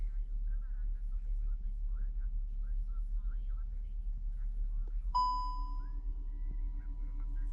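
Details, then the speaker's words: SEAT Cupra rear electronic parking brake retracted via scan tool "open rear brake calipers" before pad and disc replacement; after a short chime, a steady low electric whir holds evenly as the caliper motors wind back normally. "now I can hear the brake calipers are returning."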